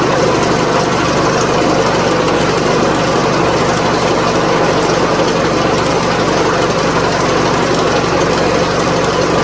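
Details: 2004 PT Cruiser 2.4 at idle: a loud, constant, rattly clatter runs steadily over the engine during cam/crank correlation scope testing. The cause is unconfirmed; the tensioner failing is hoped for but not verified.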